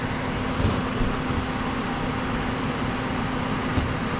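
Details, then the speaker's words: HVAC air handler after cracked terminal-block solder fault, R connected and G jumped: steady airy whoosh and constant low hum, no rubbing or rattles; blower motor running normally. "First things first, connect R. Jump out G. Make sure my blower comes on."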